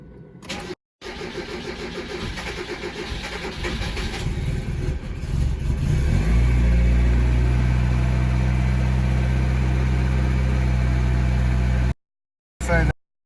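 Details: Mazda Miata 1.6 with SpeedEFI, cold start after sitting 12–24 hours, setting raised from 173 to 177: long steady cranking at about four beats a second, then catches and settles to an even idle; cause not confirmed.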